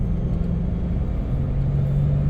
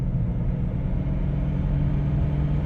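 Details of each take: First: 1997 Dodge Caravan LE, progressively worsening front wheel bearing noise, heard while driving at highway speed; the hum is strongest around 55–60. A low, steady drone rides over the road rumble and firms up toward the end. Tire cupping was ruled out. Wheel bearing hum. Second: 1997 Dodge Caravan LE driven on tar road after replacing the worn front right wheel bearing (had play and grinding): only smooth low road rumble, no growl or grind; front bearing now quiet and healthy.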